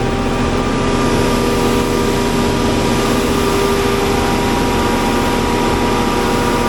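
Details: Diesel generator at a Manhattan utility area, running after oil level checked full, before minor service: loud constant drone with steady whine on top, no knocks or surging; running evenly and healthily.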